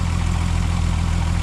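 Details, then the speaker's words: MK4 12v VR6 after water pump replacement, engine idling: smooth steady low idle with an even throb, the earlier marbles-like rattle from the water pump gone; engine sounds healthy. "Oh, smooth as butter. Yeah, absolutely smooth as butter. No more marbles, no more rattling."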